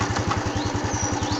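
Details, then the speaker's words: Honda Wave 110i that would not start, after new genuine fuel pump fitted; even idle thump at about nine beats a second, never stumbling or hunting, idling smoothly. "ครับผมติดมือดีครับผมบ่มีสะดุดครับดีครับ"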